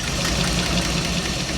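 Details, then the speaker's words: Old V8 in a 1977 Dodge van, revived after 20 years: steady idle with a light, regular click on top. Owner suspects a cracked flexplate, plus a small exhaust leak remaining after a manifold gasket replacement. "So, it's got a click. I don't know if you can hear it, but it's got a click."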